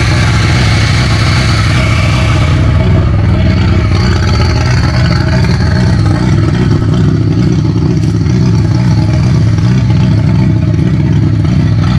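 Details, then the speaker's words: VW Golf 1.8 turbo finally starting on its first start after the build. Loud, steady low roar with a rev rise at the start and no knocks or rattles: normal running. "bon alors t'as vu elle a démarré"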